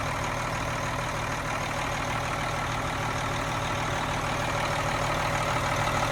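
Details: Cummins M11 diesel semi truck after priming/bleeding the fuel system following new fuel lines: starts without problem, settles into a steady, even idle with a slight rev lift near the end, no stumbling or misses; air bubbles gone.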